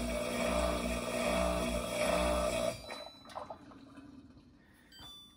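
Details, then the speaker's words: Samsung dishwasher from 2015 with a pin-hole leak under the tub gasket: steady droning drain pump hum running with no water to move, then cutting off with a short gurgle; the leak makes it think water is standing, triggering continuous pump-out. "Well, this is fun. Something is going on that thinks that there is standing water."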